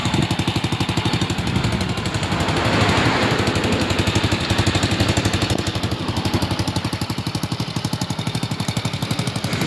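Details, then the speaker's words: Rusi single-cylinder motorcycle after air-fuel mixture adjustment; even putter at idle with a faint hiss from a holed muffler. Normal idle with a small exhaust leak, temporarily patched while the owner plans to replace the muffler. "Medyo singaw lang yan sa part na kanyang tambucho mga idol, kasi butas po yung kanyang tambucho."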